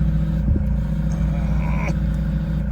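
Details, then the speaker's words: Ford Focus ST170 engine bay with timing out: steady engine drone with a faint whine on top and no power steering assist; power steering pump is on its way out and is to be replaced. "Okay. So there you can hear the noise on the engine, but also"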